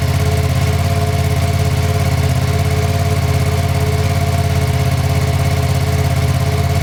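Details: New 2025 Ducati Panigale V2, just built from the crate, first startup: starts and settles into steady even idle with smooth regular beat, no knocks or rattles; normal idle.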